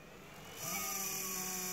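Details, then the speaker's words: New Creality Ender 3 hot end cooling fan starting up with an immediate buzzing vibration over airy hiss; tapping changes pitch and speed, runs smoothly after about a minute, fan failing. "you hear that vibration starts up almost right away if I tap on it changes pitch"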